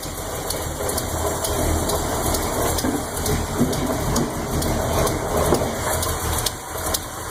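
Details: 400 Chevy, 10.5:1 compression, Lunati Voodoo cam 233/241 at .050 with .505/.526 lift, roller rockers, lifters adjusted twice. An even-bank lifter tick over a lumpy idle is barely heard at 900 rpm and pronounced at 500 rpm.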